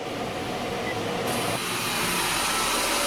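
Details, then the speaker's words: 2019 Honda HR-V 1.8L AWD at idle, AC briefly switched on with gauges fitted. A harsh, rushing whir with hissy roughness rises over the engine. High and low pressures barely move, consistent with a failed compressor. "Houston, we have noise. You can see we barely dropped. We barely moved at all. We're not doing much of anything, which is consistent with a failed compressor."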